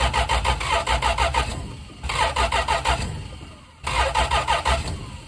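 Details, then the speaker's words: 1974 Dodge Dart Sport slant six, off the road 17+ years: three bursts of steady cranking with even compression beats, never firing. Ignition is intermittent and the battery is dying. "yeah there's no ignition too sometimes there's an ignition too I don't get it"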